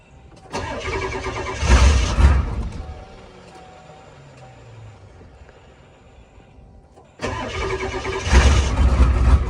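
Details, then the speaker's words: Old IDI diesel with many aftermarket upgrades, unstarted for close to a year, ambient 11°F; deliberately over-fueled, glow plugs at full heat, battery tender on. Short crank, catches and settles into deep, steady idle with even low clatter; healthy start. "There we go. Listen to that. This thing is a beast, man. She hasn't fired up in probably close to a year now. But she always pulls through for us."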